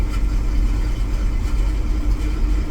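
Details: Truck from a cold start with a recently replaced distributor, new knock sensor, no catalytic converter, knock count 27, no codes. Deep, lumpy, loping idle that shakes; misfire and slight hunt for idle, cause unclear: rough idle.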